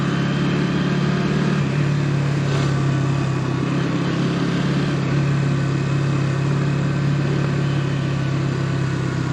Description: In my bike, KTM Duke 200 BS6, there is a weird noise coming from the tank at certain speeds like 19-21 at 2nd gear and 29-31 at 3rd gear, etc.